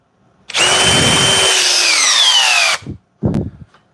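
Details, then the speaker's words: DeWalt cordless drill in speed two, drill mode, with a fully charged 5 Ah Powerstack battery, driving into a 6x6. Whine bogs and sags, then cuts out with the trigger held, followed by a brief restart burst; it finished driving it down afterward. "my finger is still on the trigger uh it does not appear to have gotten it down as far as the Milwaukee had in speed to"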